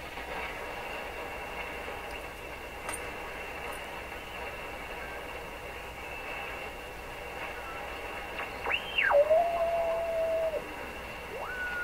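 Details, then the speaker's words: Rogers 11RA651 shortwave radio under repair (replacing paper/wax capacitors), powered on a dim bulb with no antenna, volume turned up while tuning: static then a sliding whistle, a heterodyne still present. "So it still has a heterodyne,"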